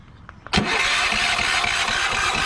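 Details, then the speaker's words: Yamaha generator on propane, remote start, about 70°F, several failed attempts; starter cranks at an even, steady rhythm but never catches; owner believes the closed choke flooded it with too much propane. "Now it's not starting, but if I push on the choke, as it loses vacuum, that dash pod pushes the"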